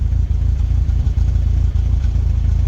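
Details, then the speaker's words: Rover 25 GTI, 1.8L VVC engine, idling after Wynns injector cleaner treatment (rocker cover gasket already changed, system bled); low steady idle with dips and stumbles about every half second, misfire still present, slightly less steering vibration, cause not found. "There's definitely still a misfire there. Yeah, the misfire is definitely still there, but"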